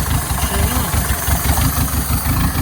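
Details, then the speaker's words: 1987 Toyota Corolla FX with 1.6-litre four-cylinder, sitting since 1999, dirty oil, low coolant, vacuum lines plugged off: low, lumpy putter at idle, uneven pulsing about four or five thumps a second; rough idle, vacuum leak still suspected. "Sitting there puttering though. The old 1.6 liter."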